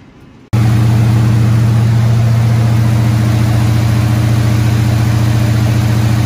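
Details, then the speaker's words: Squarebody Chevy C20 V8 run at fast idle around 2,000 rpm for about 15 minutes after correcting a distributor that was 180 degrees off; steady, even deep drone, no misses or knocks. Valve train later got a little noisy. "so it went pretty decent fired it up ran it at about two grand for about 15 minutes or so"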